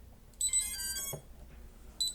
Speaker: When I turned on the drone, FC booted up normally, and the buzzer sounded notifying that the main loop started.